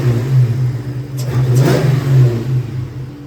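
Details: Ford Mustang Cobra with Torque Tech kit after installing LFP Big Mouth single-blade throttle body, idle target about 1,000 rpm, warming up: even note swelling with each blip, no stumble or hesitation; normal revving.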